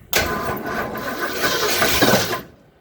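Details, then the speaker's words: 1977 Ford F-250 Dentside 4WD, revived after sitting 15+ years, with a ticking or knocking already suspected. On starting fluid it catches and runs rough for about two seconds, then fades out and dies, fuel-starved. "well she definitely wants to try let's give her another squirt"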